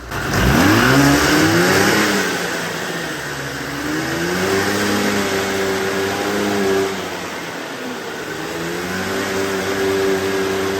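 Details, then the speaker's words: 40-year-old two-stroke snowmobile, idle and air-fuel screws reset to factory: revs with an uneven, spitting note, backfiring from one cylinder only. "now it's backfiring only out of this cylinder but I don't know would cuse a backfire I'm not a mechanic"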